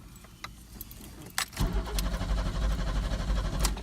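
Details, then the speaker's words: Pontiac Fiero GT after fuel pump installation and a clutch slave cylinder replacement, no fuel in the tank yet: keys rattle, then the starter turns the engine over in a steady rhythmic churn without firing. Normal cranking. "We'll call that a success. So now we're going to put some fuel into it and see if it starts."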